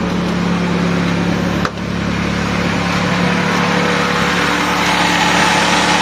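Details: Honda Accord (single-piece taillight) with F22B engine, after a no-start was traced to shorted wiring and fixed by rewiring the ECU feed, fuel-pump relay, main relay and ignition-switch circuits: steady, even idle, smooth low hum, no knocks or surging; running healthy.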